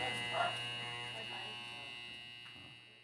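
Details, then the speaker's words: Hair clipper with a loose blade screw: a thin, high buzz with an extra rattly edge that fades as it winds down; the loose screw still causes slight noise. "yung nawala yung ingay pero ngayon maiingay pang konti dahil dito sa screw Maingay pa siyang konti ngayon ito ang gagawa nating paraan"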